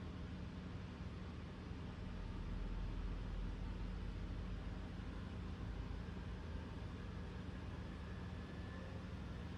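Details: 2024 Toyota RAV4 SE in EV mode, fully charged, cold day, heater on: steady low droning hum with constant whir from under left side of hood; owner likens it to heat pump blades hitting something, loud, whole-car vibration.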